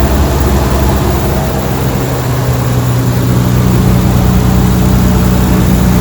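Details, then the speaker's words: Nissan 300ZX Z32 twin-turbo manual, stored 17+ years, after replacing worn spark plugs (a wet plug had caused a cylinder 4 misfire) and fixing vacuum leaks: steady, even, smooth idle with no skips, running cleanly on all cylinders, not yet warmed up. "does it sound normal [Music] sounds beautiful at the moment doesn't sound like it's missing"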